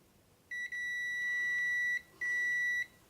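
Two solid high beeps from the continuity tester, each lasting over half a second, mean the transistor legs are shorted together.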